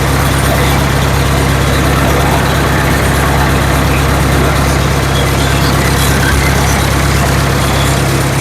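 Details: Ford 7000 diesel tractor running in a shop after timing was corrected, the cause of its earlier no-start; steady, even rumble with a regular low beat and no misses or stumbles; normal diesel running.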